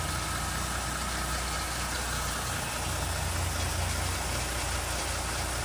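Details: 2019 Dodge Durango idling in park, warm after about 20 minutes of driving: a faint, uneven metallic rattle rides over a steady idle. The rattle appears after 10–15+ minutes of running, at idle and sometimes when slowing; the cause is unknown.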